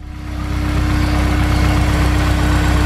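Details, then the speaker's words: Engine after valve job (bad guides, valves and seats, newer retainers and keepers), injectors cleaned and lifters checked: catches and settles into steady, even, smooth idle with no knocks or ticks; healthy running after repair. "sounds better, right?"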